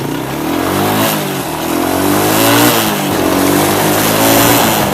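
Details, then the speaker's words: Suzuki quad (ex-hunting rig) revving: engine rises and falls over a loose metallic rattle, suspected to be the very dry drive chain bouncing around; owner plans to adjust the chain up the sprockets. "now if you guys could hear that sound almost sounds like loose rattling metal I think it's this chain bouncing around and it's really dry"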